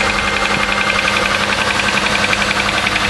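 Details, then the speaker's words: Car cold start at about 35°F after sitting overnight, oil Castrol Edge Titanium plus Lucas synthetic additive: sharp even tick about four per second over cold idle; owner hopes it's not a lifter, cause unconfirmed. "yeah you can really hear that hope it's not a freaking lifter or something that would really suck"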